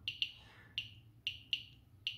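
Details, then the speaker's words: Geiger-Müller counter board with Arduino Uno; alpha source pulled back from GM tube, air absorbs alpha, a little gamma still penetrates; sharp dry clicks, about seven in 2.5 seconds unevenly spaced, click rate dropping. "so if I bring it back a bit there will be a test dress three drastic decrease because most of the radiation gets absorbed by the air and also there is a little bit of gamma radiation and that can penetrate"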